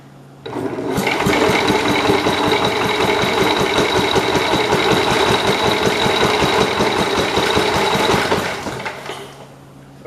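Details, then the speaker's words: Kohler K181 engine, newly acquired, gas in tank, cranked by its starter-generator: steady turning over about 158 compression pulses a minute for eight seconds; normal cranking. "i just want to turn it over because i thought it was cool i want to listen to it again and see how that thing sounds"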